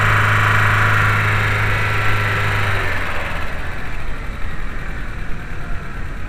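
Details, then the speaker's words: 2.0L AEG VW New Beetle (A4) after a cylinder 4 misfire: low idle hum settles and smooths within seconds as leftover fuel clears from the cylinder, no skipping, running cleanly again. "better already, but it's clearing the gas that's in the cylinder still."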